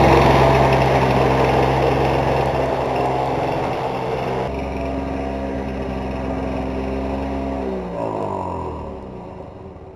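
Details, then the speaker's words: Lawn-Boy two-stroke mower after a carb rebuild and reed replacement, on 32:1 mix with 89 gasoline, starts easily: steady fast rattle, then winds down at shutoff; owner suspects a rod knock but found nothing loose, unconfirmed. "s to listen to it and see if the sound that I'm hearing is a rod knocking because I've went over this entire thing and tightened it and there I I haven't been able to find anything"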